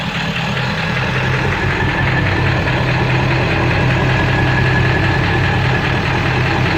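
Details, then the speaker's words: Ford 7.3 diesel with rough running and no power, switched from high idle to street, puffing raw-diesel smoke, EGTs good: rough idle with uneven deep knock about four a second; owner suspects rod knock, cause unconfirmed. "Making a totally different noise. Sound like a rod knocking."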